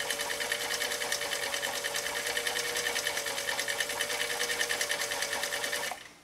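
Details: 1955 Husqvarna Viking Type 21 Class 20 sewing machine (1.5 amp), restored, sewing shell pattern (stitch 1, cam A) at width four with size 90/14 leather needle: fast even stitching clatter over light motor hum, stopping cleanly; normal running.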